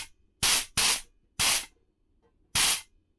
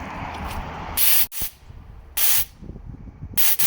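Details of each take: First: Rebuilt, previously stuck and rusted nitrous solenoid tested: four sharp, even hissing bursts, each under half a second, with clean cutoffs; the solenoid opens and closes properly. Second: Nitrous purge test after rebuilding stuck rusted nitrous solenoids: short thin airy hissing bursts, not a dense blast, spraying less than expected; bottle holds a lot of air, needs draining and refilling with a fresh bottle.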